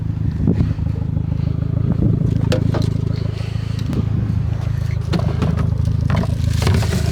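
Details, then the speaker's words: 2006 Mitsubishi Lancer Evolution IX MR idling just after an oil change: steady idle with a faint, irregular light clatter; hydraulic lifter tick that keeps fading more and more. "Feels good. Sounds good. I feel like the lifter tick kind of keeps going away a little bit more and more."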